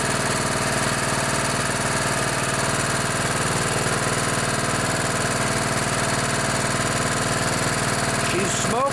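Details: Craftsman LT1000 riding mower with a 16 hp Kohler Command OHV single-cylinder, a barn find first run after carburettor cleaning, runs with an even, steady chug, no misses or knocks, smoking a bit; sounds healthy.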